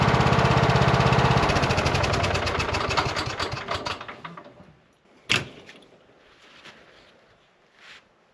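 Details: Cub Cadet lawn tractor mower after repairs and an oil and filter change: engine runs steady and even a few seconds, then shuts down cleanly; no knocks or misses, sounds healthy.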